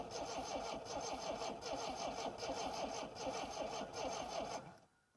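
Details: 1960s Homelite 55 HP outboard after replacing the ignition capacitor, with the rectifier set to low: starter churns at a steady two to three strokes a second and it never catches. Cranks with no start; the coil is suspected, not confirmed.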